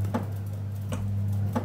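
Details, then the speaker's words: Biasi M90E 28S boiler switching on and off. Sharp clicks about every 0.7 s over a low hum as a relay stuck on the ignition PCB repeatedly starts and stops the fan. "so basically what's happening the relay stuck on a PCB and starting a fan and stopping it and just repeating that process over and over"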